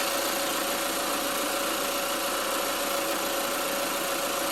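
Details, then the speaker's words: 2020 Chevy Equinox during an R1234yf AC recharge, engine running with the AC on: steady idle with a constant mid-pitched hum and no clunks or squeal as the compressor clutch engages; compressor running normally. "all right guys get the car running the HC compressor the clutch is kicking on"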